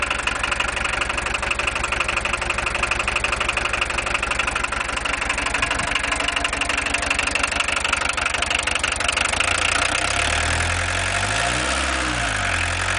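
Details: VW 1.6 TD diesel at idle: steady, regular sharp clatter of roughly three knocks a second; owner asks whether it clatters too much, cause not pinned down.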